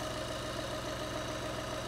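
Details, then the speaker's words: 2012 VW Polo 1.2 TDI that started then stalled after two seconds (codes P261A00, P023800, P010400), after repair including EGR cooler and a replaced clamp: steady, even diesel idle, no misses or hunting; fixed. "does it start idle all right oh oh it's looking rather good right there"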